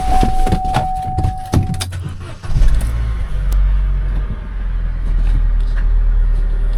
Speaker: Well, it sounds all right. No chain noises again.